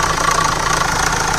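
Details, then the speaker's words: SAIC Maxus G10 with a Yunnei 1.9T diesel, 130,000 km, shaking and weak acceleration: a fast, dry rattle from the timing front cover while revving; stretched timing chains and worn chain guides were found and replaced. "经过我们初步判断，这个异响是正时前盖这边发出来的。"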